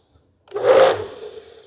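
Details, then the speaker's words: Tecepo 1400W induction-motor self-priming pressure washer, trigger closed: quick motor burst hums up and builds pressure, then cuts out within about a second; normal start, pressurization and automatic shut-off. "ligar. Já desligou, né? Já deu seu start, já pressurizou. E vamos ver aqui agora. Tá pegando [Aplausos] pressão. Realmente ela é autoescorvante."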